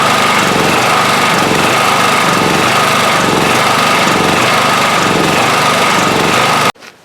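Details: 1997 Honda EB5000 generator after no-start fix with cheap non-OEM carburetor, on auto with 1500 W load: steady even engine drone with constant high hum holding speed firmly, no hunting or misfire; running healthy.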